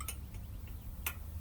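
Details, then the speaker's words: Lectric XP e-bike, wheel turning after tire remount and brake reset: a few sharp metallic ticks at uneven spacing, the rotor still sometimes rubbing the disc brake; the noise persists even with the caliper adjusted all the way out. "uh here now where is it rubbing is actually rubbing on the brakes still but sometimes"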